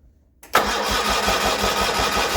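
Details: Original 1980 John Deere 317, not run in about three years after an electrical issue, spark plugs just cleaned: starter churns with an even chug about eight times a second but the engine never catches; cranks, no start.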